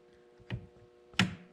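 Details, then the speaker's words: 1921 Ford T-bucket with new wiring, key on and start button pressed: two sharp clicks about 0.7 seconds apart over a quiet hum; starter solenoid clicking. "will work so you can start it you can oh if you can hear the solenoid clicking"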